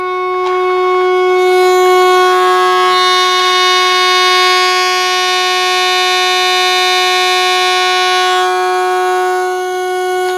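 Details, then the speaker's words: 1936 Zenith Chair Side radio, chassis 5516, under restoration, fed 100 V AC input with about 274 V DC, audio injected: steady clean mid-pitched test tone with bright overtones, no hum or crackle; DC supply and audio amplifier working. "quite a bit of audio it sounds like so apparently the DC and the audio amplifier working"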